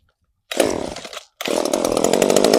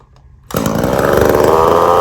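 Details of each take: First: Echo CS-3450 chainsaw with newly fitted replacement carburetor, not yet tuned, after many pulls; fires and buzzes under a second, dies, then catches and runs raggedly at high revs, barely staying alive; hard starting before carb tuning. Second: Echo CS-3450 two-stroke chainsaw after replacement carburetor, high and low mixture screws finely tuned; crisp snarl picks up and holds a steady, even note with no stumbling or surging; normal running after repair.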